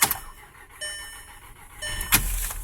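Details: 2010 Volkswagen CC, first start after an engine swap: quiet, even idle with no knocks or misses, just a soft steady hum and a few cabin chimes; engine runs smoothly.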